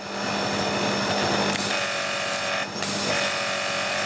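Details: Annovi Reverberi pressure washer after fixing a jammed valve, freeing and greasing the piston, and changing motor and pump oil: steady motor hum under strong even spray hiss, no surging, building 600 to 1000 psi; running normally after repair.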